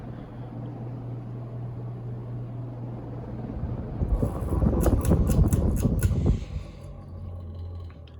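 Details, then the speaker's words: 48-inch FASCO Decorator Series ceiling fan, gray, dated November 1986, on high speed: low steady hum under the fan whir, rough rumbling growl from the motor that stops when the switch housing is held; well balanced, cause not confirmed. "And there's that noise. And if you grab onto the switch housing, it goes away, but high speed's pretty annoying, but it's well balanced."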